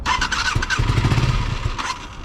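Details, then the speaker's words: Kawasaki Ninja 636 that lost drive in first gear, then wouldn't restart after being turned off: short uneven bursts of firing with a brief squeal as it stumbles and struggles to catch; hard starting. "i turn it off i turn it back on and it literally won't start so now this is what what it does"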